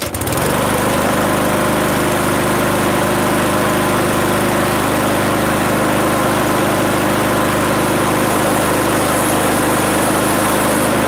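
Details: Mower, kept started all winter by the owner, started with some fuel left in it; catches within a second and settles into a steady, even run with no misses or knocks; normal start and run.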